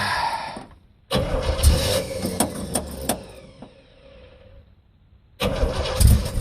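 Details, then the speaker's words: Carbureted American muscle car on a ~5,000-mile road trip, ignition recently fixed, cold start with choke not working: long cranking, catches roughly for seconds and dies, cranks again; nearly had to flood it, hard cold start from inoperative choke. "Man, that took a lot of cranks. You could hear it starting to die. It's gonna be a little bit before it picks up and all the circuits, everything start working in the carburetor."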